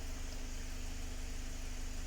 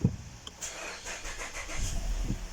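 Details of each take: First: 2019 Mazda 6 GDI engine after fuel injector replacement for a P0300 random misfire, idling about 10 minutes: quiet, even idle with soft steady hum, no shake; misfire counts read zero apart from a negligible trace on cylinder 1. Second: 2019 Mazda 6 GDI petrol engine cranks long before starting, then idles with a stumbling, uneven shake; misfire codes (P0300) on most cylinders; spark plugs and coils already swapped, fuel pump filter changed, throttle cleaned; injectors suspected, weak fuel possible.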